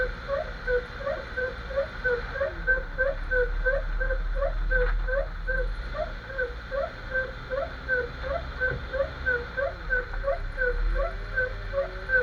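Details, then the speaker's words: Jeep XJ driving: rubbery squeak chirping about three times a second in step with wheel speed under road rumble; owner suspects the front axle u-joint though the boot looks unworn, also considers the steering stabilizer. "okay after thinking a law came to a conclusion maybe this you join is the one making noise it sounds like a rubber noise but I'm not sure"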